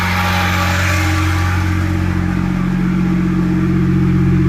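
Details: BMW E61 idling: steady low hum with an extra mechanical clatter pulsing about three times a second.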